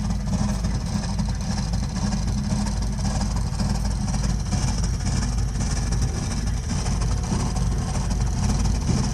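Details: Burnham Alpine boiler with a continuing loud-noise problem: loud, steady low rumble with an uneven throb throughout; the burner is roaring abnormally, cause not evident.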